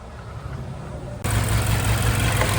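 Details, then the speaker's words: Mazda 6 2.5L non-turbo petrol, cold rainy day, sudden limp mode and check engine light: low, uneven, stumbling idle from a serious misfire; scanner shows cylinder 2 misfire, unplugging that coil changes nothing, coil pack replaced. "it was running like pure Kaka uh when I started to back up after I pull over oh yeah it's running like crap it got a serious misfire"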